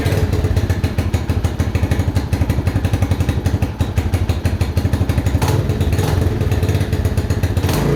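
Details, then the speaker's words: Mojave 250 single-cylinder, year unknown, idling on its own after timing chain replacement (old chain loose, jumped time): quick regular thumping with some top-end clatter; owner feels timing is pretty close but unsure. "it's pretty good I feel like it's pretty close if anything suggestions"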